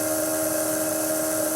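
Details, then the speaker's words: Small Hall-effect pulse motor, switched to the Wireless Joule Thief output from a stored capacitor charge after stalling on plain capacitor voltage; even steady high-pitched singing whine with no wobble or knocks, spinning fast and smooth. "But if I now press the Joule Thief button and give it a little spin, hear that? See how fast it's spinning?"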